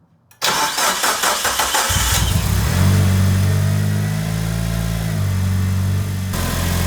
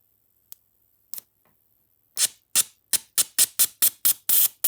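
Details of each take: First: Mitsubishi Evo (Tommi Makinen edition), restored 2019, after injector electrical testing and DIY cleaning fixed jammed injector 3: quick crank, clean start, brief rev, then smooth even idle with no misses despite old fuel. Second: Mitsubishi Evo (Tommi Mäkinen) with hard starting and rough idle: stuck injector bench-pulsed from a new battery with injector cleaner fed in; faint ticks, then crisp clicks about four per second as the injector frees and snaps fully open.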